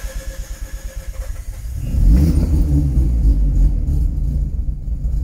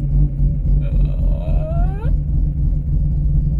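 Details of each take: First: Mazda RX8 with bridgeported rotary engine, restarted after battery disconnect, before warming up: couple of seconds cranking, then catches and holds a lumpy but steady rotary idle without throttle; normal idle. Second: Bridgeported race-extension Mazda RX-8 rotary, first start after sitting, battery disconnected, still cold: deep, lumpy rumble sagging and hunting toward a stall. It can't hold idle yet; owner waits for the oil to warm up.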